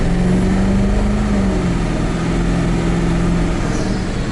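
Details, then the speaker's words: 7.3 Powerstroke diesel truck on 24-inch semi wheels, after plenum gasket repair and PHP Hydra tuner, part-throttle pull: deep roar, steady drone, no intake hiss or whoosh, heavy smoke; boost leak gone. "just pours smoke. I don't hear the boost leak anymore either. No. Because you could hear it before."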